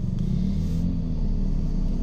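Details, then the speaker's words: 2018 Toyota Vios Dual VVT-i after transmission pull-down and flywheel assembly replacement (cracked flywheel caused loud rattling): smooth, even low rumble through the revs with no knocks, rattles or grinding; noise gone at any rev. "So ngayon good na siya. Kahit anong rev, wala nang ingay."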